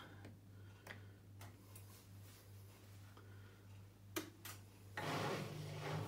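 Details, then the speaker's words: Indesit IWDE124UK washer dryer, over 7 years old, used 1-2 times daily: on a spin cycle only mains hum and scattered relay clicks, no motor run-up or drum turning. Worn motor brushes. "the other thing that's quite telling is that um you can't hear the mortar spinning when you try to do things like a short um short rinse cycle or something like that"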